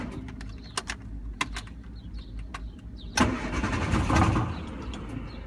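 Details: 1974 MG Midget cranks unevenly but won't fire or idle; spark plugs cleaned and starter fluid tried, fuel pump fine, owner suspects not enough air.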